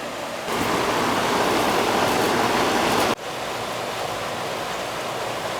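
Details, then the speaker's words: Carrier AC condenser that was not cooling; capacitor's compressor side was dead and fan side low (2.8, should be 5). After the new capacitor it works fine: even fan rush over low hum, no buzzing, clicking or rattle; normal condenser running. "need a little cap it's working fine"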